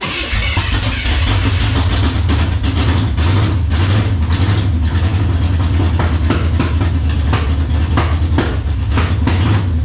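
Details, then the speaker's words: 5.0 V8 with a Holley four-barrel on open long-tube headers, first start: very loud, deep, steady rumble with a crisp even pulse; normal running. "oh it's gonna be a loud one I got open headers up front there open long tubes"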